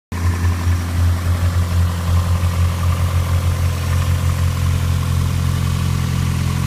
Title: No Celica Alternator Whine!